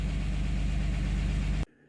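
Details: 2007 Dodge Nitro idling after its fuel pump was replaced a second time. A smooth, even low idle with a steady beat, under two seconds long; idles cleanly with no misfire.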